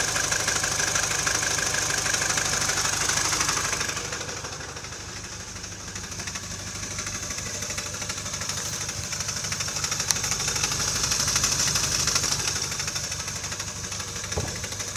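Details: Mini Cooper R56 (non-S) intermittent engine knocking, recurring every 2–3 weeks: steady regular knock about three per second over the running engine, usually settling after a few minutes; engine otherwise alternates rough and normal; cause unknown.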